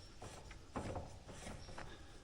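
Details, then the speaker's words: Polaris Ranger rear: loose irregular metallic clicks as the wheel is wiggled in neutral, brake pads moving in the caliper (about half-inch gap), causing clunking; planned fix is adding springs to the pads. "hear that this is the sound that we were picking up"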